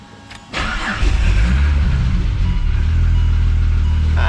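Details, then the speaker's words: Ford FG Falcon barra on E85 (about 60% ethanol), after the cold-start fuel mixture was changed to run rich: a short crank, then a steady idle that stays running; a dump pipe exhaust leak was also noted. "look at that, staying running."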